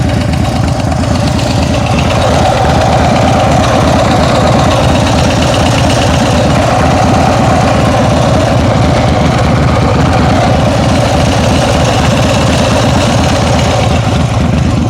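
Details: Engine idling with a light quick ticking over low rumble; owner thinks it comes from the rear cylinder, cause not confirmed.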